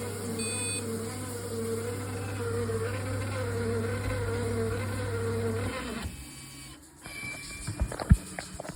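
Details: Triton Envi shower making a loud noise, possible component defect: a steady low electrical buzz for about six seconds, then cut off, leaving handling clatter; loud buzzing, source unclear.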